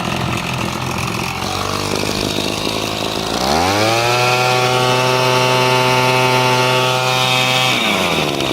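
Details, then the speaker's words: Echo handheld two-stroke blower, previously down on power, being carb-tuned while intake is slightly restricted with a hose: smooth steady buzz climbing cleanly to strong even high revs and holding; RPMs pick up, running normally. "I'm gonna put on this hose very slightly, but you can hear the RPMs pick up."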